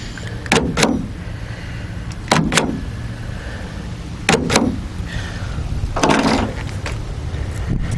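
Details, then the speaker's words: 2016 GMC Sierra, 70,000 miles, after replacing the tailgate power lock actuator with an OEM ACDelco unit. Four crisp, firm double clunks a couple of seconds apart as it cycles lock/unlock; normal operation. "that's unlock their lock unlock does appear to be working"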